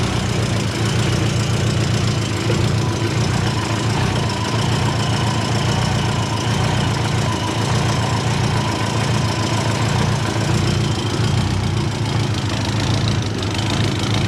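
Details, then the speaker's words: Subaru Forester with Haltech ECU idling with rhythmic chopping, puffing exhaust under the car after refitting V-band clamps; leak from a small hole in a weld and probably a clamp; new clamps needed. "There we go. Bit of chopping out. coming out there. That might be coming out of the weld right there."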